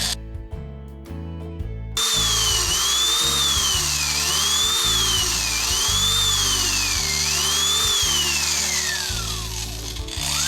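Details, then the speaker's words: Oster Clipmaster cattle clipper after cleaning, running: motor sounds fine with a steady whine, but the head makes a light chattering rattle because it needs grease. "Okay, so the motor sounds fine. The head needs some grease. I could hear it's making a little rattle sound."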